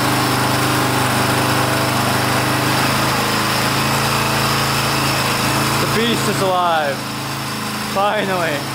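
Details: 1982 Honda XL500R single-cylinder running for the first time in years after valve adjustment, carburetor cleaning and reconnecting the pickup coil wire; steady, even thumping idle with a few whistles over it, running cleanly.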